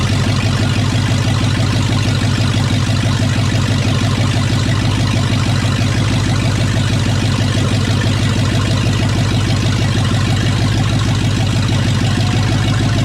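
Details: Rebuilt C2500 350 TBI V8 with roller cam, first start: loud, steady idle with an even throb of about three pulses a second and no knocks or misses; running smoothly.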